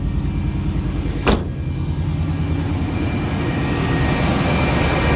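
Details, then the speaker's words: 1990 Chevrolet K1500 pickup V8 running after replacing a failed oil pump with a high-velocity, high-pressure pump; strong oil pressure. Steady, even smooth rumble with no ticking or knocking: the motor is not hurt, normal running. "That sounds good."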